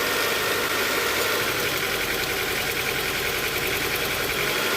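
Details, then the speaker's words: 1996/97 Honda Accord at idle: slightly lumpy, shaky idle with an irregular beat, roughly three stumbles a second; cylinder 3 misfires because its spark plug is saturated with oil from a failed gasket, which is to be replaced. "en el aceite no le afecta tanto con la bujía está saturada de aceite porque pues el empaque ya falló"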